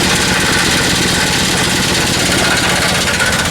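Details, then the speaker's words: Chevy Silverado 2500HD with a gas 6.0 LS V8, automatic, about 323,000 miles, check engine light on. Heavy, rough banging from underneath, about four per second, over a harsh engine roar; suspected failed flex plate. "that sounds horrible let's get this thing in the shop figure out what's going on with this thing so my guess is that this needs a flywheel flex plate"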